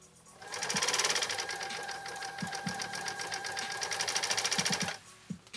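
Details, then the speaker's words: Repaired 1980s New Home SL2022 all-mechanical sewing machine with a 1.0 amp motor, straight-stitching a single layer of alkyd at full speed: fast, even ticking with a light mechanical whir, no stumbles or knocks. Normal straight stitching. "kind of launched into that fast and furious didn't i all right let's turn this again we've got a one amp motor on this machine so it doesn't hesitate a whole lot it just doesn't"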